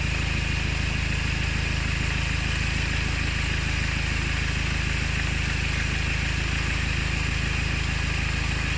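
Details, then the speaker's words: Diesel engine running, noise traced with a listening rod on the tensioner nut: loud steady clatter with a rough gritty high grind underneath; worn auxiliary belt tensioner pulley bearing. "With this on the nut on the end of the tensioner, I can hear a high grinding noise. Found the noise."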